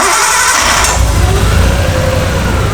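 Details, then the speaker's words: Used RB20 engine freshly swapped into an R32 Skyline, sat for a while, MAF disconnected; loud steady idle with uneven lumpy low rumble, still misfiring; injector condition unknown and being checked for clicking. "Yep. Sounds like it's still misfiring though."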